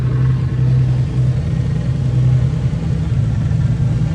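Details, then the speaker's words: 2JZ-swapped E46 M3 back running after repairs, with a leaking fitting tightened and the starter tapped to crank it: a deep, steady low rumble with an even beat and no knocks or ticks; the straight-six settles at a normal idle, no leaks so far. "oh man dude it is great hearing this let's let's listen to it a little bit more she's back she's back from the dead boys and girls"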